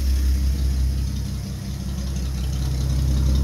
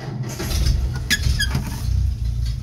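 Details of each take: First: Old Nash flathead six, 6-volt positive earth, cold first start after long storage: low, steady rumble with an even beat and no knocks or misses after blowing some black soot; idling smoothly. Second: Old Nash flathead six, 6-volt positive earth, long stored, possibly no fuel in tank, starter fluid used: slow, labored cranking with a few uneven catches that die away; cranks but won't start yet.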